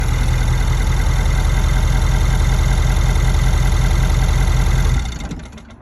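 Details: 2017 Ford F-250 6.7 diesel, 98,000 miles: light, fast sewing-machine ticking at idle from the right head, traced by stethoscope to the CP4 pump fuel rails and loudest at injector 7; winds down at shutdown, owner also reports a clank.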